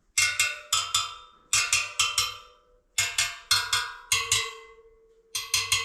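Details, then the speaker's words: Jawa motorcycle wheel being built; spokes tapped in pairs to check tension give quick bright pings, but one rings with a lower, lingering tone, so it sits at a different tension from the rest. Uneven spoke tension. "That's a bit different sound."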